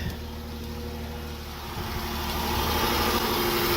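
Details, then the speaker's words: Silver Dodge Charger that quit, started after spraying flammable fluid to simulate fuel presence: catches and settles into steady idle rising slightly, no misses; confirms lack of fuel pressure. "all right it should fire right up man [Music] there you go we are running ladies and gentlemen all right"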